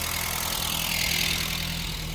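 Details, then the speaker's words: MK2 VW Golf 1.6 Driver engine, first start after long storage with new battery, throttle disconnected: steady, even idle under some hiss with no stumbling or hunting, slightly tappety; idling properly. "Yeah, running and idling, fantastic."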